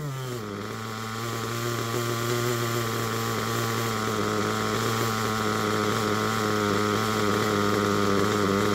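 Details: Picco P3T DLC nitro engine, almost 10 gallons run, new bearings and connecting rod, worn crankshaft, damaged sleeve and block: high buzzing, fairly steady idle with slight wavering; rough idle, though temperature is good and it holds idle.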